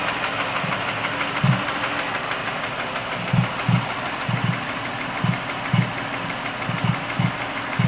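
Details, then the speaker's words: 2005 Mercury Mariner petrol V6 at idle, after the No. 1 spark plug blew out and the plug and coil were replaced: a dull uneven knock once or twice a second, seemingly top end near cylinder 1, plus a strange popping. "Also, this knock sounds like it's coming from back here somewhere."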